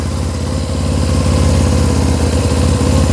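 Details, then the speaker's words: 2000 Suzuki GS500E twin motorcycle, recommissioned, idling on choke just after a start while fresh exhaust paint dries. A steady, even low thrum with no knocks or misses: a clean, healthy idle. "Push it. Wow, that sounds lovely. I'm super impressed by that."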